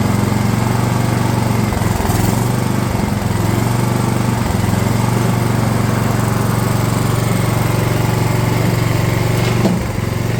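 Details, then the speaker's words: DR all-terrain mower, Kawasaki FV420V engine after years sitting, fuel lines leaking: uneven lumpy beat with brief stumbles, won't settle to idle; owner suspects flooding, then finds a problem in the carb bowl. "it won't idle I think because it's flooding actually"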